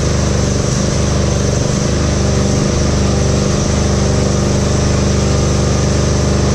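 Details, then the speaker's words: Husqvarna GT52XLSi lawn tractor, 24hp Briggs & Stratton, just started, up on stands: a steady low drone with slow repeated dips and pickups, surging worse when driving; hunting idle from bad carburetor jet O-rings. "so that that was it surgeon no mind you I just started up in here and I have it up on these things suck it I was working underneath of it with the coolies and stuff but it surges way worse than that"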